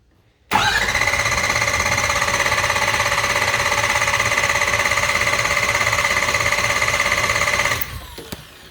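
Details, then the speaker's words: Ford 6.0 Powerstroke diesel cranking, warm engine, compression sounding good: steady cranking about three turns a second with a faint dull kuh-thunk each turn, less pronounced once warm; knock while cranking, cause unknown. "Don't know if you could hear that or not, but it's as it's turning over, it's a kuh-thunk, kuh-thunk, kuh-thunk, kuh-thunk, kuh-thunk, kuh-thunk, kuh-thunk. Nice little knock."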